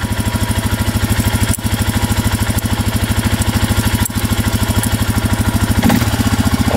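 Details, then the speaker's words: Suzuki Eiger 4x4 ATV that wouldn't move, just after fitting a new drive belt and refitting the clutch: put in gear, low, even single-cylinder thumping as it pulls away with no slipping or grinding; normal running after repair. "she's moving. Oh yeah, that's gonna work. Oh yeah. All right, she moves."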